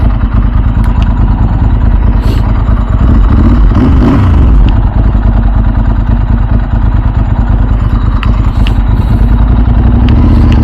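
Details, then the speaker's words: 2000 Ducati 996 SPS, about 25 years old, riding after service: deep lumpy V-twin exhaust beat with loose metallic clatter over it, the normal rattle of its dry clutch. "It's got the the dry clutch like the old Ducatti bikes. You can hear the rattling."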